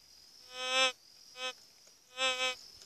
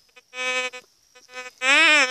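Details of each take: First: White's GMT metal detector sweeping a rock: three short high warbling tones over quiet background as it signals a target; rock said to contain silver flecks. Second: White's GMT gold metal detector, already tuned, giving a reedy nasal buzz in uneven bursts that never goes quiet without a target; lowering gain and volume is suggested.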